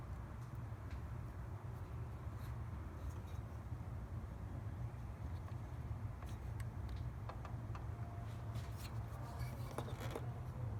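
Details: 2003 Mazda Miata NB at a stop light: low unsteady idle that wavers and shakes as if about to stall; owner plans to clean the idle air control valve, cause not confirmed.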